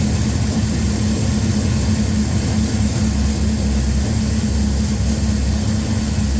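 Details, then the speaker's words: Henry J engine freshly started with a Sniper EFI and replacement GM HEI module, idle-air screw opened, warming up: steady, even low rumble with no misses, knocks or hunting, getting louder as it heats; normal idle. "I just want it idle for a few seconds on its own. Let's see what happens. It's getting louder."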